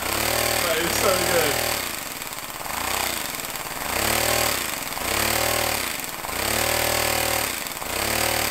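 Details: Homemade compressed-air engine at 50 psi with a small lever-operated diaphragm-valve throttle: hissing air-driven chuff speeding up and slowing in smooth waves as the throttle opens and closes; normal running.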